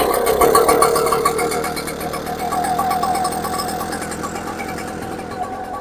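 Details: Echo PB-755ST backpack leaf blower, two-stroke, on its original carburetor before the Hipa replacement, won't throttle up: buzzing note sags and fades instead of climbing when the throttle opens. Lean bog from fuel starvation at the carburetor jets.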